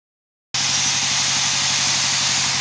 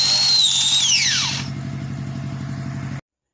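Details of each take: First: Angle grinder after replacing the worn front head bearing that had caused vibration, krek-krek rattling and unstable rotation; reassembled and switched on, it now runs with a steady, smooth high-pitched hiss, no rattle or wobble — normal smooth running. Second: Angle grinder that vibrates, clacks "krek krek" and struggles to turn: strained, high "nging" whine that sags and dies quickly, with a thudding diesel in the background. It is heavy to spin, caused by a damaged gear-head bearing.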